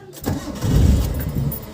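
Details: Mitsubishi Lancer with a hard-starting problem, since fixed: brief cranking, then the engine catches and surges before settling; it sounds reluctant to fire.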